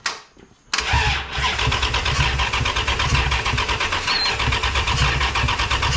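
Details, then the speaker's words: Rebuilt 5.9 Magnum V8 in a 1996 Ram, cranked on a borrowed battery with a jumper wire and fuel smelled. Steady starter churn with even compression beats but no firing: the coil plug was unplugged and no power reached the coil. "so this plug that goes into the coil that was unplugged this is not getting any power up to this point"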